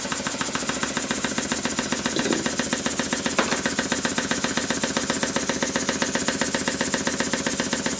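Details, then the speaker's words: Apparently early Stuart beam engine being inspected for restoration, running on compressed air with everything secured: a fast, even clatter of about four knocks a second, like a machine gun, especially at high speed; the beam has some side play; loud knocking while running. "that's interesting with everything secured it now sounds like a machine gun especially at high speed"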